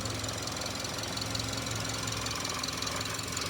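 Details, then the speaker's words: Subaru engine knocking after a rebuild: steady running with a loose metallic rattle and light knocking about two to three a second; cause unclear. "Собрал мотор. Ну, видимо, хреново как-то. Что-то бренчит."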